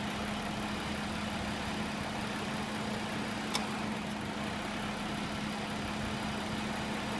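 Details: 2013 Ford Explorer idling with the A/C on: steady idle with a constant low hum and a slight uneven waver underneath; rough idle under A/C load.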